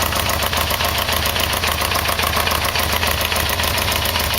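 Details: Yamaha VMX1200 V-Max idling after an oil and filter change; light, quick ticking knock about three or four a second over a steady idle; owner suspects the timing chain adjuster; light knocking at idle, cause suspected, not confirmed.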